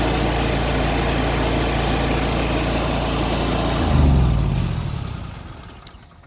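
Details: Exmark Lazer Z EFI zero-turn mower after fuel pump power repair (about 15 psi rail pressure): engine runs smooth and even several seconds, then switched off and coasts down; starts and runs properly.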